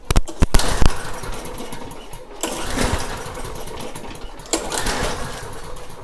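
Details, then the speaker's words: Snapper mower small engine after fuel tank leak repair, run on fuel dumped into intake: catches with sharp pops, surges and fades in uneven bursts; carburetor suspected, needs addressing. "Just dump a little fuel down there. Let's see if it starts. And if it does, then we eventually needed to address that carburetor."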